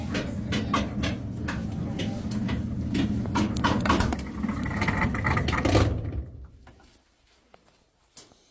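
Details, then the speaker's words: Maytag dryer making a strange noise: rumble with fast, uneven knocking that stops as it spins down; worn blower wheel, replaced with a new one. "so because the plank dryer is making a strange noise. Okay."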